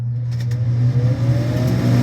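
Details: Kitchen range hood exhaust fan after cleaning and bending the damper flaps so they open fully. Smooth, even low hum with no rattle or scraping; the fan runs steadily and sounds healthy on high.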